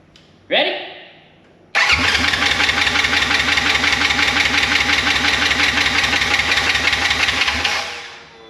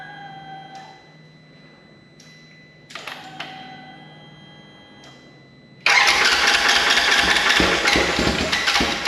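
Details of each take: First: Wrecked 2016 Polaris RZR 900 S, brake pressure switch bypassed, first start attempt: starter churns steadily about three turns a second for six seconds, never fires. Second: Rebuilt wrecked 2016 Polaris RZR 900 S on new frame with swapped transmission cases: a few short cranking tries, then catches and settles into a loud, steady unmuffled run; engine now starts and keeps running.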